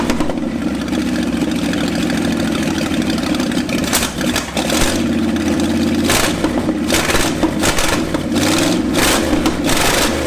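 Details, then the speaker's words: Ford F250 revived after 26 years sitting: loud, uneven running with wandering, surging revs and no steady idle. A possible massive vacuum leak from loose hoses and a likely shot PCV valve is suspected, not confirmed. "I'm gonna go ahead and try to find a way to just block that off entirely and see if that fixes the potential massive vacuum leak that could be causing this to not idle at all"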